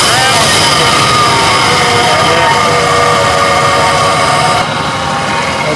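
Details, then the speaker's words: 2000 Nissan Xterra 3.3L V6 after crank-no-start ignition circuit repair and ignition timing set: engine held at a steady, fairly high speed with a clean, even tone, no misfire or stumble; runs as it should. "But now we have our ignition timing set and um works and the vehicle runs like it should."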